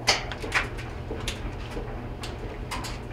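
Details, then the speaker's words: Whirlpool WGD4900XW0 gas dryer after repair for loud grinding noise during operation, running with clothes; low steady hum under soft irregular thumps of tumbling clothes, no grinding or scraping; running normally. "all right um with the dryer running now sounds a lot better we have some clothes in there so the clothes are making some noise but we definitely don't have the grinding uh noise that we had before"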